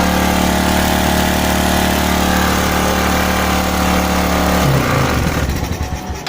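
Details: Suzuki Smash motorcycle with a carburettor, after a fix for sputtering, high fuel use and black spark plugs: it idles evenly on a steady note without sputter, then is switched off and winds down. Normal steady idle.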